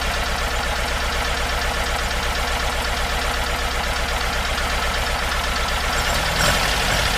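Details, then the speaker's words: Porsche 914 with 2056cc engine on dual Weber carbs, running in the rain after a suspected exhaust fault was fixed: steady lumpy idle, then the note lifts and evens out as mixture is backed off. "That's idling a little bit too low for me. I'm going to take the idle up a little bit more."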